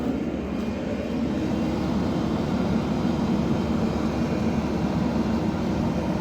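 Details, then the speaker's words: JAC diesel pickup with earlier injector and fuel-pump repairs, during a particulate filter regeneration started with a Launch scan tool: a constant held-up diesel drone with no dips or surges as the revs are raised for the regeneration. "Так, я вирішив зробити генерацію сажового філь фільтру. Запустив цю процедуру до допомогою лаунча. Наразі ру подивимось, що вона робить, газує."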